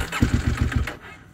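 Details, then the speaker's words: KTM 890 Adventure R Rally cold morning start, about 45°F overnight, after three failed tries: starter catches, a few very rough firing pulses as if running on one cylinder, then it dies; cold start stall. "and just it's a you know it just dies out and you can hear it runs very rough like it's running on one cylinder"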